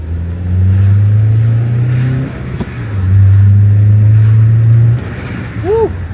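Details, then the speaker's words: Honda CL9 after the faulty coil pack on cylinder 3 was replaced and new BKR7E spark plugs fitted, following a misfire first mistaken for an exhaust leak: a strong, even note revving twice with no stumble. Normal running. "oh it sounds good good okay so Co Pack 3 was the bad one and I think we're back on the road"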